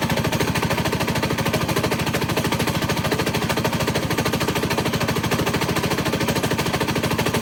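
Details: Coleman 196cc minibike engine: a hard, steady bang about three times a second throughout the run; rod knock from a worn connecting rod bearing.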